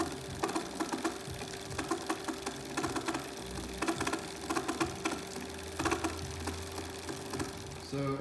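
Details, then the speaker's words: BBSHD mid-drive e-bike motor returned after 600 miles making a lot of noise: a rapid, rough gear whir with uneven clicks as it spins up and down. Teardown found no missing teeth or visible fault, so it was greased. Cause unclear. "I have here a BBSHD that came back after 600 mi making a lot of noise. Haven't seen it before."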